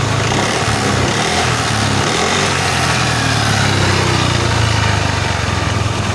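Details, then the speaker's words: First-generation Yamaha NMAX with an ISC sensor: a small engine running steady and fast that never settles, the rear wheel spinning with no throttle applied. High idle. "Nah tunggu bentar lagi, ini ban muter sendiri tanpa saya gas ya. Ini posisi motor nyala, saya biarin. Nah, posisi bannya ini muter kenceng, muter sendiri karena terlalu tinggi gasnya."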